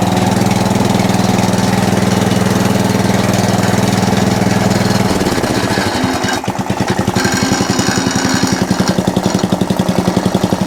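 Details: Atco Balmoral cylinder (reel) mower: engine drone, then rapid rhythmic slapping near two per second once the cylinder engages. A loose pulley lets the drive belt chatter; owner calls it minor.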